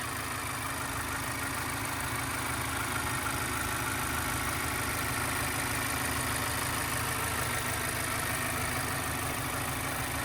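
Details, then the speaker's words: 2016 Mazda 3i, 2.0 L Skyactiv with timing chain, 6-speed manual, about 151,000 miles, heard in engine bay at idle: steady smooth low rumble, no ticks, knocks, wavering or vibrations; healthy engine. "as you guys can tell, nice and smooth running engine, no odd noises or vibrations."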